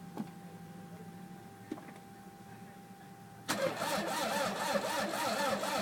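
Starter whirrs and cranks steadily at about three to four turns a second but the engine never catches or fires.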